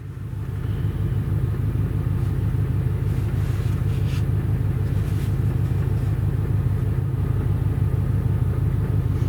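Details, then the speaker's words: Auction Ford Explorer idling rough after sitting: low uneven throbbing, lumpy irregular beat; scan shows system failure, poor O2 readings, throttle at 19; owner suspects throttle position sensor, cause unconfirmed; leaking valve cover noted. "oh yeah you can hear some it's like really pissed off"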